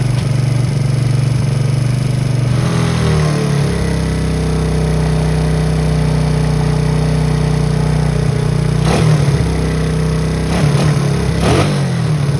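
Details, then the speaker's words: 2009 Coolster 125cc four-wheeler, Honda-clone engine, stored 9+ years, estimated over 5,000 miles, after battery and coil replacement, with a carburetor that was in bad shape: single-cylinder runs steadily with a deep drone, picks up cleanly on blips; running normally. "well we set a goal and we reached it my goal set on the outset was was through place the battery in the coil and see if we can get it started"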